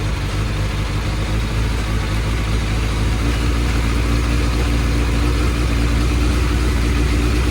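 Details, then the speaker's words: Suzuki Bandit 600 four-carburettor motorcycle at warm tick-over, during carb balancing: uneven, lumpy idle that hunts rather than settling, caused by unbalanced carburettors; pilot screws being adjusted. "so as you can probably tell it's running a bit lampy at the moment"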